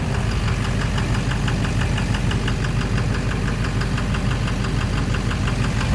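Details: 2009 Chevrolet Silverado 3500 Duramax LMM diesel, 59,900 miles, idling: rapid, deep knock in time with the idle, low in the block, possibly the bottom end; oil analysis shows no abnormal wear metals, no smoke once warm; began intermittently at 57,500 miles; source unknown.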